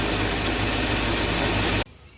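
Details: Mercedes ML500 5.0-liter V8 after refitting a belt that walked off and was cut up by a bad tensioner. A smooth, steady idle hum with no squeal or chirp: normal idle.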